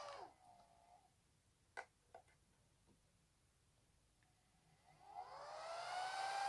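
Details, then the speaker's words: Dell L750E-S0 server PSU being converted into a benchtop supply: faint clicks as the second and fourth pins are shorted, then the fan whir climbs and settles into a steady hiss. It starts normally, with 12.6 V DC output. "And what you'll see is that when I short these, you will hear a fan turn on, indicating that power is now flowing."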